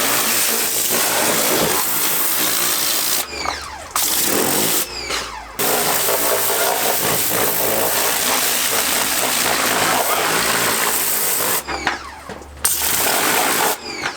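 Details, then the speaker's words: Honda Accord running after fuel system work: loud steady howl over the running engine, cutting out between revs, from a power steering pump that needs replacing. "So that noise is a power steering pump, which we did last time, so ignore that."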